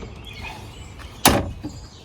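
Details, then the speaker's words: Honda Pioneer UTV door opening after rattle fix (hinge adjusted, washer added on top, latch untouched): one clean solid thunk, no rattle; door now quiet and tight. "So now I'm gonna open the door, and look at that, nice and quiet, nice and quiet,"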